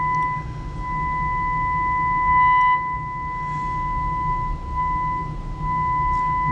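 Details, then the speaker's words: Philco Model 20 radio during restoration, signal generator at about 800 kHz with modulation, probed at the detector/demodulator stage through a capacitor: clean, steady test tone coming through very strong, the detector passing signal normally. "got our signal out and very strong very strong so we have our signal"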